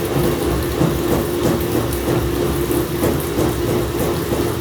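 Heavy uneven rumbling with loose thumps about every two-thirds of a second during the spin; the washer is shaking abnormally, cause unknown.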